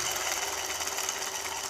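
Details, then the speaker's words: Mower deck spindle spun by hand with no engine running: steady dry, gritty rasp with a hiss. The spindle bearings are bad. "well in this case you can tell these birds aren't any good well just by listening to it"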